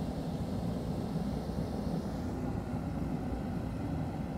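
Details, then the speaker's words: Dayton 3VE52D 210,000 BTU kerosene torpedo heater, outdoors after air pump cleaning, line blowout and hand sanding: steady even roar with low rumble, no sputter or surging, burning normally. "so let's go ahead and pull that trigger she's burning I'm excited about this now"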